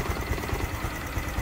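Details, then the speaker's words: Honda Future 125 (Future LED) single-cylinder at 34,000 km idling, fender held still; a dull, even knock about five times a second from the piston slapping in a worn bore, before cylinder and clutch repair. "Cái chắn bùn đang rung lên, để tôi giữ chặt nó lại để bạn có thể nghe tiếng piston va đập."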